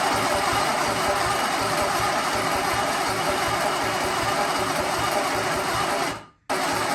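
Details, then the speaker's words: Sunbeam Alpine 1725 engine: steady, rhythmic cranking with an even chug that never catches. Spark at the source but none at the plugs; the starter relay keeps sticking. "But still not having much luck. Alright, so still not having any spark. We're having spark here, but we're not having spark at the plugs."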